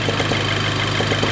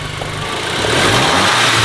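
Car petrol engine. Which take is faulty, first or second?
first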